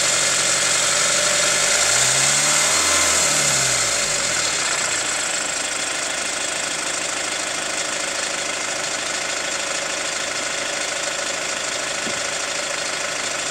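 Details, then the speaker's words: Hyundai ix35 CRDi 136 hp diesel, hot, recorder on the wheel: sharp regular tapping about three per second through a brief rev, ringier with throttle; chain damper tensioner replaced 1.5 years ago, dealer found nothing; hot knock, cause not pinned down. "Интересный эффект возникает, когда чуть-чуть газку добавляешь. Звук как будто становится звонче."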